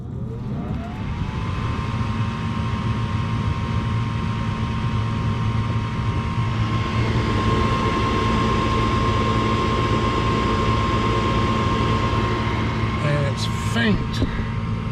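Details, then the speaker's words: Four-year-old Trane furnace in attic, cold start: inducer draft motor spins up to a steady whine over heavy low hum and rumbling vibration heard in upstairs bedroom; inducer vibration suspected, quiets when warm. "they hear this thing when it starts off and it sounds to me like there's a vibration or a noise in the inducer"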